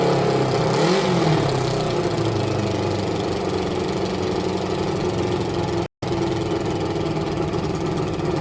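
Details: Suzuki ZL600 Eliminator four-cylinder engine idling unevenly with a lumpy beat during carb balancing; left carb pair found far out of balance, suspected cause of the rough idle and hesitation, with adjustment under way.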